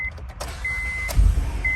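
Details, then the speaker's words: 2007 Honda Odyssey that came in as crank no start with anti-theft light and no scan tool communication, after disconnecting a connector the security light goes out: dash chime, click, catches at once, steady low idle; normal start. "starts right up"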